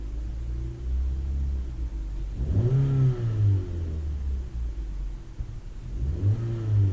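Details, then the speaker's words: 2009 Ford Fiesta Mk7 1.25 petrol, warm idle after cold start, revved to around 1500–2000 rpm where it previously misfired; spark plugs replaced, now revs smoothly with no missing, misfire cured. "yeah so we've cured that"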